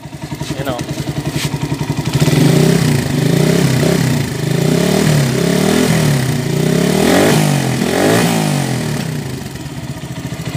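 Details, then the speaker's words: Euro Keyway 152 single-cylinder motorcycle after repair: earlier loud clatter from the magneto side is gone; engine rises and falls cleanly with throttle, no clatter, running normally. "Iyon. Okay na. Euro 152. Motor ni Kabro. Okay na."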